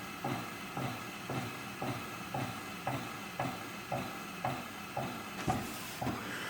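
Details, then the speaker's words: Oyster bread machine that goes to pan but won't knead and may not be heating, pan set in place: soft whirring with a light regular thump about twice a second as the motor turns but the paddle doesn't knead; motor runs but no kneading. "so the motor is turning I think there's a there's a sensor right there but what the heck and for starters this paddle should come out of"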